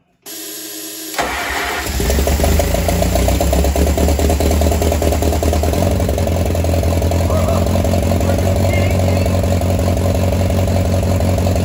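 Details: Oliver 550 tractor, first start in a reported 30+ years after ignition and starter rebuild, choked, to be run only seconds with no water pump belt: cranks briefly, catches first try and settles into a steady, even idle with no misses or knocks; runs like a top.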